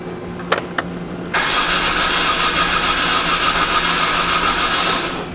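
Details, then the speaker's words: 2007 Hyundai Santa Fe 2.7L no-start, timing cover screws removed: starter cranks about four seconds with rough, uneven abnormal churn, never catches; gears turn so belt not broken, timing belt problem suspected, spark, fuel and compression next. "자 여기 기어가 움직이는 것을 보았을 터니 벨트는 끊긴 게 아니지만 크랭크는 좀 이상해 보였죠 소리가 이상한 거죠"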